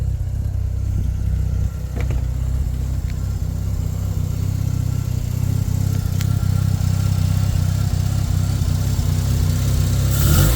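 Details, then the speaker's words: Turbo Mazda RX-7, first startup after engine install with newly built exhaust, running super rich: steady low even idle with soft rapid pulse, no hiss or ticking, much quieter than before; no audible exhaust leak. "it's not very loud much quter than it used to be"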